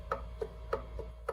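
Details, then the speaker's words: Ford Mustang T5 transmission countershaft rocked by hand: sharp metallic clicks about three a second, an estimated 15 to 20 thousandths of end play, blamed on a stretched factory bearing preload plate. "That is a lot of slop. That's probably 15, 20 thousandths. That is no good, man."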